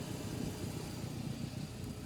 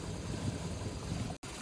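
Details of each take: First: Here you can see the boat's running fine. This is maybe 5 minutes after startup, pulling good vacuum. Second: Carbureted boat engine after running around the lake, warm, with low vacuum and a bouncing gauge needle. Low uneven idle that lumps and wavers with a brief dropout. Rough idle; cause not identified, and earlier fixes failed.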